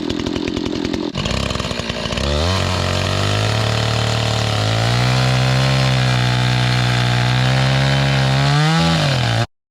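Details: Restored old Stihl 026 two-stroke chainsaw after carburetor cleaning, rough-cutting thick-barked firewood with a pretty dull chain: idles, then revs to a strong steady high pitch that sags slightly while cutting and recovers cleanly; works awesome.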